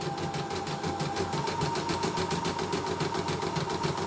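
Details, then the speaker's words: CNY E960 embroidery machine after repair of a hard jam with a grinding noise, cleaned, sensors working, cover not yet closed: an even, steady stitching clatter about 3.5 beats a second with no knocking or binding; runs normally. "Tapi ini udah jelas lancar, sensor sudah bekerja semua dan mesin sudah bersih kembali, nggak kotor belepotan minyak segala macam."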